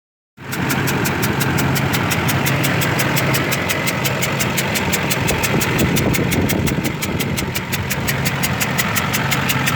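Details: 2005 Duramax LLY diesel idling: sharp steady ticking knock about four per second, likely bad injector, plus puffing like leaking exhaust manifold; won't exceed 60 mph, knock louder, black then whitish smoke; owner suspects multiple injectors.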